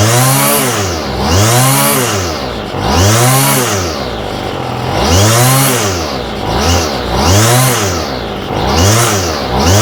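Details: Homelite string trimmer with a new aftermarket Chinese carburetor. Engine revs up and falls back about every two seconds, never settling to a steady idle; the idle screw doesn't reach the throttle arm, so idle can't be adjusted.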